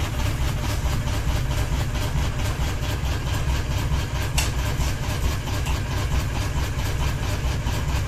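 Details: Ceiling fan running with one blade and a ball hanging off it at constant speed, deep steady rhythmic thumping about twice a second as the out-of-balance rotor wobbles every turn; blade imbalance wobble.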